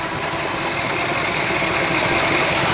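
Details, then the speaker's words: 1966 Chevy Biscayne, numbers-matching 396 big block, running off its own gas tank with barely any fuel visible in the filter, tune-up parts not yet fitted: steady, busy idle with a fast even patter, no stumble or dropout; runs smoothly. "यहाँ शायद ही कोई ईंधन है, लेकिन बात बस चलती रहती है"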